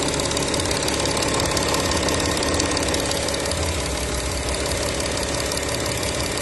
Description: My Audi Q7 2012 3.0TDI engine ticking/knocking noise, filmed both sides of the engine , 215k km.